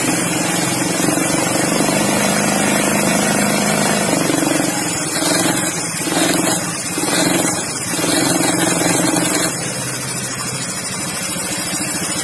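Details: Automatic scooter CVT with a rough, uneven rumble under the engine note that swells and eases with throttle; suspected pulleys, final-drive gear or bearing, or wheel bearing wear, unconfirmed; CVT rumbling noise.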